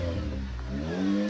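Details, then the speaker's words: Repaired old Jeep with a new custom non-standard muffler, quick rev: note rises cleanly and smoothly with a deep, even exhaust tone; sounds healthy and tight. "did you not hear this thing screaming I hope the microphone picked that up it sounded kind of cool actually sounds like a fine tun machine if you ask me"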